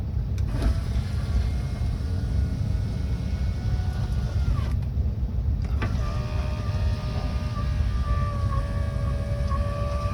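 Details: Land Rover Discovery 2 left-hand door after replacing the electric window motor (third one) and refitting the glass: faint steady motor whir, no grinding, clicking or labouring; window motor working normally.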